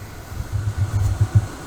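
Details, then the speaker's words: Motorhome coach engine idling after replacing the flooded house batteries and reconnecting the chassis battery, which had been drained. Run to recharge the chassis battery. Low, steady rumble with soft uneven pulses, no knocking or squealing: normal idle. "So now that I got all the batteries, the house batteries hooked back in, got the main battery, the chassis battery hooked back on, I fire it up just to let it run for a little bit to recharge"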